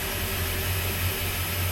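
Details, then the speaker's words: Port inboard engine of a 33ft express cruiser after winter layup and manifold and riser service: low, even hum with a steady deep pulse, no knocks or skips, some hiss; smooth, healthy idle. "That sounds really good actually. It sounds very smooth."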